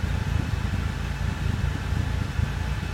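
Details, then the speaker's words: 1997 Oldsmobile Cutlass Supreme SL after new parts were fitted and a four-mile test drive, service engine light still on: a low, steady, even rumble with no misses. The engine runs smoothly, and the slight roughness comes from the exhaust, not the engine. "yeah the engine sounds very smooth doesn't matter right"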